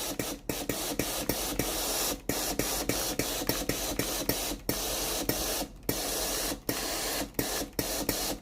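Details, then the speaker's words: Philips GC9315 steam iron after replacing the broken water valve coil that stopped steam: pressing the steam button gives sharp clicks in quick uneven bursts following the finger, each with a steam hiss; valve working normally. "ถ้าเรากดปุ่มจ่ายไอน้ำนะครับเราจะได้ยินเสียงวาน้ำทำงานนะครับคือดังแต๊กแต๊ก๊กนะครับตามจังหวะนิ้วมือที่เรากดนะครับ"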